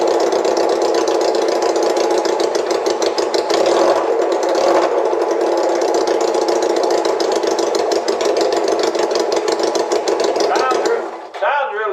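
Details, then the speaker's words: Honda CL175 run with its holed muffler removed before replacement: harsh, loud, rapid barking exhaust held at a fairly steady speed before dropping away; open-pipe noise, far too loud. "good, but that's just way too loud, especially for 175 Honda."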